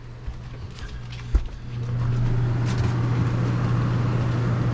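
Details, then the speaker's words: Dometic Brisk 2 rooftop RV air conditioner restarted after installing an RV Airflow Systems duct upgrade: low hum and fan rush build and settle into an even drone, quieter than before though not silent. Running normally. "Not like, you know, super quiet, but it definitely is quieter."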